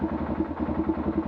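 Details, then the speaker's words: Arctic Cat 500 ATV after cam repair and valve adjustment, previously knocking badly at low revs: even single-cylinder thump at quick steady idle, no knocking or clatter; much quieter and healthy. "right idling a little bunny definitely much much quieter like I said it was it was knocking really bad you're a low revs"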